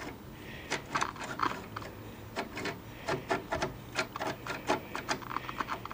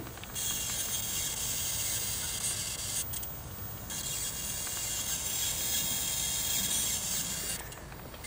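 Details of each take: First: 1974 Wards Airline portable color tube television: turning the channel tuner gives uneven scraping clicks and gritty rasp instead of clean detents; the tuner is filled with rust and sand. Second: 1974 Montgomery Ward Airline 19-inch portable color tube television, soft-start light bulb bypassed: thin steady high-voltage hiss over quiet background as high voltage comes up normally; raster then appears.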